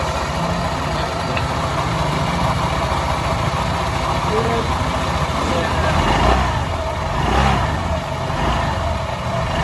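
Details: Honda PCX 150 scooter after CVT repair: the belt had been slipping, so a new pulley and a 1,200 rpm MTRT clutch spring were fitted. Even idle picks up cleanly in two short revs with no rattle or slipping hum; normal CVT operation.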